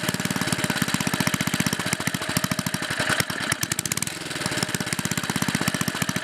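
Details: 1958 Briggs and Stratton model 6B rebuilt with new rings and valves, ignition coil and flywheel changed: crisp, evenly spaced single-cylinder pops at steady governed speed, no knock or misfire; normal running.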